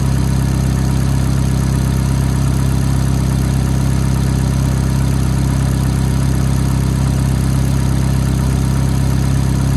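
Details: F430 V8 at cold-start idle: a light, fast tick of roughly four per second rides over the steady, even idle; cause unknown.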